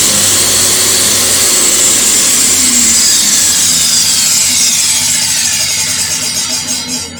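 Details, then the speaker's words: DeWalt DW745 UK 240V jobsite table saw after fitting a soft start module: motor comes up to speed gently with no bang or surge, steady high whine, then spins down; smooth soft start. "well, that seems to be working okay, which I'm chuffed about. And as you can hear, there's none of that firing in the motor. It's definitely a soft start on it now."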